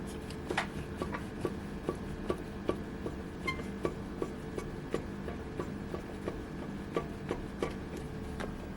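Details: Renault Duster front brake caliper rocked by hand against the steering knuckle: a faint, sharp tick about twice a second from loose play in the caliper mounting, linked to single metallic knocks when braking and starting off. Rubber bushing repair kit 7701206601 suggested.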